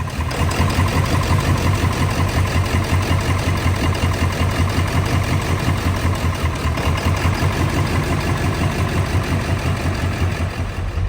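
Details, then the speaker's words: Ford F550 7.3L Powerstroke diesel, first running after a no-start: heavy idle with an uneven, lumpy chug. ICP is still high at idle, and the owner suspects injectors not firing, since only two buzzed strongly in the buzz test. "Hi guys, I got it to run. The ICP is still a little bit high for idle. Duty cycle, things are looking a little bit better, but it's running really rough."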